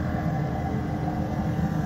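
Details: MCI coach with Detroit Diesel S60 DDEC6 (425hp @ 2100rpm): deep, lumpy beat with missing strokes, running on 3 of 6 cylinders; fault traced to external engine wiring harness, not injector harness; wiring repair restored all cylinders.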